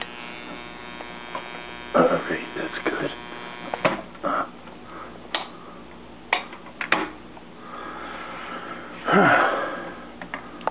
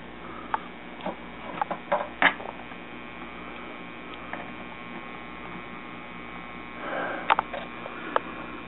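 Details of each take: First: Washing machine parts wired together, with the timer turned manually while the button is held down. A low motor buzz with sharp clicks every second or two as the timer advances normally. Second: Washing machine parts wired together with the pressure switch bypassed, trying to reach spin mode. The motor only buzzes with a steady hum and does not spin; the owner suspects the fill switch or another safety switch.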